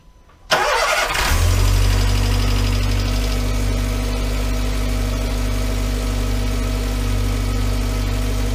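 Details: VW Voyage with EA111 petrol engine, after replacing noisy water pump, timing belt and tensioner and correcting out-of-time timing: cranks briefly, catches and settles into a smooth, steady idle with no knocks or squeals.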